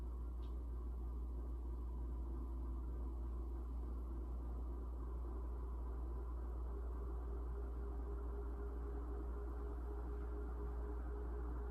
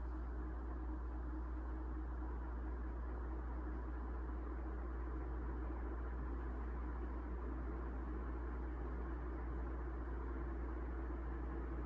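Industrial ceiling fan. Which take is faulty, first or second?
first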